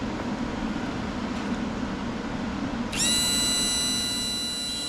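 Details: Yamaha F-115 outboard Showa tilt and trim unit after seal replacement and new pump, bench-tested on power leads with ATF fill: kicks in after three seconds with steady even high whine, no surging or grinding; normal pump operation.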